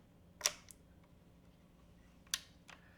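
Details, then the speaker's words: Air Venturi Avenger .22 PCP air rifle side lever cocked: two crisp metallic clicks about two seconds apart, no grinding or grit, minimal effort; smooth side lever cocking. "Okay, you noticed how smooth that was and how the effort was very minimal."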